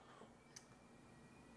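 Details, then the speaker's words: Pneumatic solenoid valve switched by an Arduino Opta PLC relay on a blink program at about 12.2 V: two crisp, quiet clicks a second apart over a faint room hum. The solenoid is cycling normally. "And you can also maybe hear the solenoid clicking, and that's this solenoid right here."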